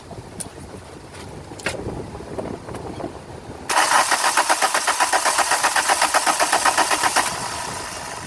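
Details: 2001 VW Cabrio GLX convertible, 2.0L: starter churns the engine at about four beats a second for several seconds without a single firing, then stops; cranks but won't start.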